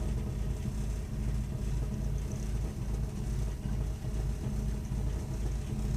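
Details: Burnham Alpine ALP150W gas-fired boiler, 3 years old, frequently rumbles when running: deep continuous low rumble with loose pulsing roughly twice a second while firing; cause unclear.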